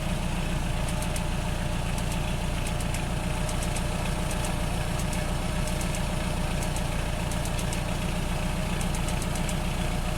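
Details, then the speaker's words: 1985 Nissan 720 with computer-controlled carburetor idling low; faint sharp snapping ticks in bursts as a spark plug wire leaks spark through tape; plug wires need replacing. "Yeah, that spark plug wire's leaking spark."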